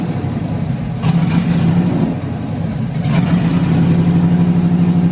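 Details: LS V8-swapped S10 Blazer, first start after the swap: the V8 catches and settles into a steady low burble, with a couple of throttle blips; it starts and idles cleanly.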